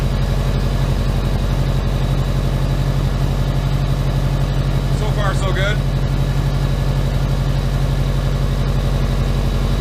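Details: Subaru Impreza boxer engine rebuilt with SOHC heads, first start after over 2 years: steady even low idle, smooth regular beat, no knocks or misses; it smoothed out and idle just dropped, check engine light on. Normal idle.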